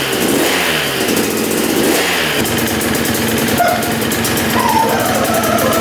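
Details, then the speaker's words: 1989 Yamaha YZ250 two-stroke dirt bike, first start after rebuild: it fires right up and sounds good but idles very low and a little rich; plan is to turn the air screw out for more air. "well she fired right up sounds really good just to get this thing to idle a little better it's really low idle so I think we are going to twist the air screw out a little bit more allowing more air in um a little rich on the idle there"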